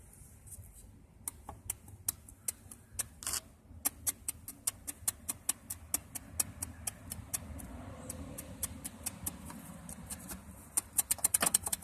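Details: VR6 12-valve engine: sharp steady knock about three a second, quickening near the end, over low rumble; spun rod bearing on cylinder 5.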